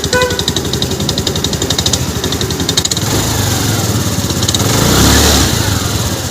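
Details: Honda Activa 4G scooter, self-start cranking and catching: rough rattling beat about four a second carrying into the revs; bent crankshaft end at the starter side, fixed by straightening the crank.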